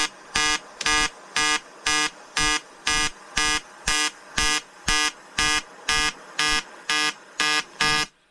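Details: EWM Tetrix XQ 230 Puls AC/DC inverter TIG welding 5000-series aluminium lap joint: 2.4 mm lanthanated tungsten, 2 mm filler, 94 A pulsed (0.20 s pulse/0.30 s pause), 150 Hz rectangular AC. Sharp even buzz pulsing about twice a second, no crackle or sputter; normal AC TIG arc.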